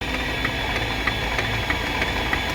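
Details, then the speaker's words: Mercedes-Benz CLS W219 no-start: engine cranks with sharp uneven pops about three a second, firing out of time, never catches; broken spark plug causing misfire. "เอ้ยพอก่อนบูมพอก่อนพอก่อนนะเฮ้ยแปลกๆนะมันสตาร์ทแปลกๆอ่ะแต่เครื่องหมุนแล้วตอนเนี้ยแต่เหมือนมาร์คมาร์คจุดระเบิดผิดจังหวะเนี่ย"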